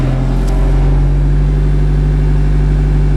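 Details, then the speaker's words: Diesel Toolcat utility vehicle just after cold start following preheat: steady, even drone at raised idle with no knocks or misses, rpm held up until it warms; normal cold fast idle. "up the RPMs till it warms up. Alright, I'll bring it back in a little bit."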